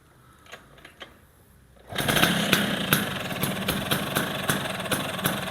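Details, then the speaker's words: 1980s Vespa two-stroke with Excel block, head and gears, new Dellorto carburetor, CDI ignition and a right-exit racing exhaust: quiet taps, then it catches into a loud, crackly, steady idle; normal two-stroke idle. "ini suaranya pastinya agak gede karena emang dia pakai knalpot racing ya, knalpot racing buang kanan."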